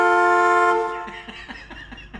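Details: 1970 Dodge Challenger slant six, rat-infested and parked for years: while the lights are being checked, a loud, steady horn blast of under a second sounds unexpectedly and then cuts to scattered clunks.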